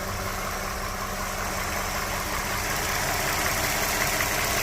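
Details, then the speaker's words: 2011 Toyota RAV4 V6 after replacing water pump, tensioner, idler pulley, radiator and hoses: warm idle about 12 minutes after refill, smooth even hum; the earlier marbles-in-a-can water pump rattle is gone, though fans haven't come on yet. "I'm assuming that sounds relatively normal. I certainly don't hear the water pump, marbles in a can that I was hearing over here before."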